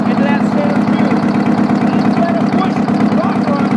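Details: Old Detroit 8V71 two-stroke V8 diesel idling with rocker cover removed, spraying a little oil; loud steady clatter with open valvetrain chatter; even at idle it's loud.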